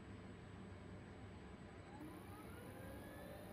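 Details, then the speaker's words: Boley F1 lathe's 50 W three-phase motor run from a VFD at about 300 rpm: a quiet, even hum with a faint whine that rises a little and no knocks. It runs smoother than on single phase. "running it on three-phase besides getting the stepless variable speed in here it actually runs a lot smoother then one single place"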